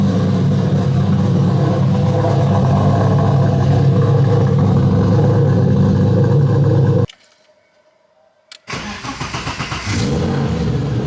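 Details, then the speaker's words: BMW E30 fired up after feeler gauge adjustment, long undriven: settles into steady, even idle with no ticking or knocking; brief drop-out mid-clip, then resumes smooth and clean. Normal running. "Since it's all buttoned up, let's go ahead and fire her up. Make sure you don't hear any weird noises or anything like that. Sounds good to me."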